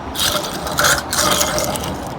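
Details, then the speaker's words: Road-racing shifter kart rear axle bearing spun by hand after cleaning during pre-race prep: gritty, ratchety grinding, rough and uneven throughout; worn axle bearing, to be replaced. "listen to this yeah that's not good let me do it again yeah that's not good we just got to go ahead this one's almost as bad"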